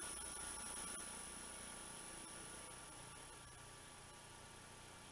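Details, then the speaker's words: Verman 1hp two-speed 3-phase vertical spindle motor on a Hui Chang VHM mill, fed from single phase through an XSY-AT1 inverter at low speed, carrier frequency at maximum: a quiet even hum with a faint high whistle, running normally. "even as we reduce it the the carrier frequency is set that it does not make a lot of noise"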